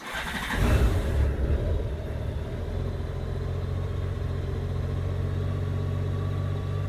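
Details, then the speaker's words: 2002 Honda GL1800 Goldwing engine starting right after an oil and filter change, run to fill the filter and circulate oil until the oil light goes out; catches within a second, short rev flare, then smooth even low idle: normal healthy start. "And we'll go ahead and start it up, let it fill the oil filter up, and get it circulating good. Make sure that our oil light goes out."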